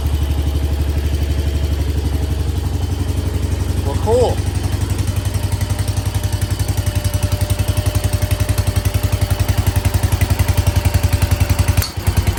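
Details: 1968 Case 155 garden tractor, just revived by cleaning the points for no spark: an even, steady putt-putt at roughly four beats a second with no misses or stumbles; normal idle.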